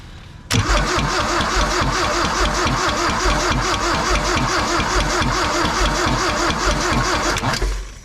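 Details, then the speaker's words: 1972 Toyota Celica 18-RC engine, recently revived after 26 years unrun, gravity-fed from a fuel can: fast even tapping from the top end tracking revs, located at the front chain; suspected timing chain tensioner, timing cover to come off. "Yeah, it's definitely coming from the front of that chain. Chain tensioner, really. It's got to be the chain tensioner."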